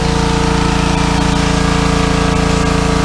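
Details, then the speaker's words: Pressure washer small engine after carburetor cleaning (clogged bowl screw jet, dried ethanol fuel, oil in carb after sitting over a year): steady, even drone with firm regular beat under load, no misses or surging. "Well, sounds like we're cooking with gas. Let's go and have a look. That's making a treat now, Aaron."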